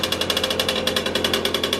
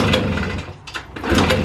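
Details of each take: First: Motorynka two-stroke moped started after years of storage, no carburettor cleaning: fast crisp steady putter, no stumbling; runs normally. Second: Long-stored Motorynka two-stroke moped: short sputtering bursts that rise and die without catching; will not start, owner finds fuel is not reaching the filter.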